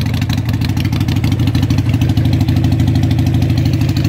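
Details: Harley Sportster 883 street tracker build, start-up with loud exhaust pipes for early Sportsters on a modified crossover bracket; the builder may need to rejet the carburetor. A lumpy, even potato-potato beat at about three pops a second, deep and steady. Normal idle.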